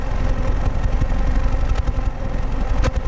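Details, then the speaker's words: 2008 Pontiac G5 2.2L Ecotec, 244k miles, new plugs and coils, P0300 code, mic at tailpipe: deep idle with occasional uneven puff, RPM wavering; intermittent cylinder 4 idle misfire, smooth under load. "the RPMs are kind of going up and down it looks like cylinder four what's the deal"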